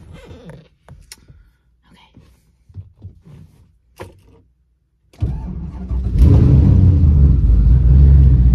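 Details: Twin turbo Camaro, engine started with garage door cracked, owner checking after earlier hearing an off sound when revving: fires, catches quickly and revs cleanly with a smooth, even roar, no knock or rattle.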